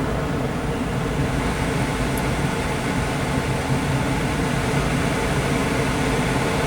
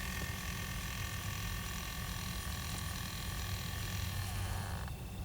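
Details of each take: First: 2006 Pontiac Solstice after the blend door actuator replacement, HVAC recalibration with fan on full and engine off: a steady full-speed blower rush shifts tone as the doors cycle through dash, defrost and floor modes, a normal calibration. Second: 2006 Pontiac Solstice, ignition on, temperature-control blend door actuator motor before repair: when the control is moved back to cold, a thin whir runs about five seconds to the other extreme instead of stepping, so only full heat or no heat.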